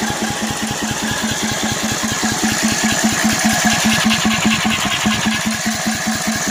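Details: Cub Cadet 720 C mower, 33in deck, wouldn't start after sitting three days; carb cleaned, oil changed, has spark and fuel, starter was stuck until greased; even cranking chug about 2.5 beats a second, never catches; owner suspects bad starter.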